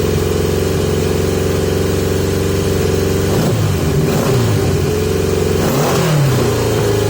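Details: 1980 Yamaha XJ650 idle problems after carb work and new 115 main jets: idle hunts, revs surging up twice on their own and sagging back; erratic high idle, mixture or carburetion suspected.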